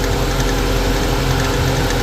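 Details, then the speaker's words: Infiniti M45 VK45DE at idle with a fast, loose clapping clatter from the belt idler pulley/tensioner. The noise stops when the pulley is pressed by hand; unclear if it is the pulley or the tensioner. "so right now the M45 is making this noise right here it's coming from that same cool here again"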